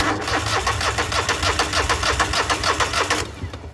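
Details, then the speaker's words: John Deere mower after a bad connection at the start circuit was sorted. Strong, even push-button cranking about three turns a second with no hesitation. Starter issue fixed; it had been sitting an unknown time, fuel uncertain. "But at least now we know our starter issue's fixed."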